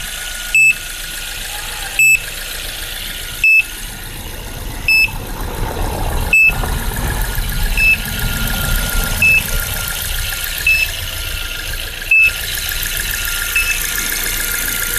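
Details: Suzuki Splash after a dead battery, engine running: a sharp high beep repeats about every second and a half, and it continues even with the battery disconnected; unexplained electrical warning.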